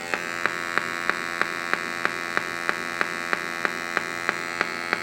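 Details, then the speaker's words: LAI Games Lighthouse redemption machine speaker: steady electrical hum with a sharp regular click about three times a second; feedback through the speaker, amplifier board suspected. "Now see, there, you can hear Press the button to play. You can hear the feedback."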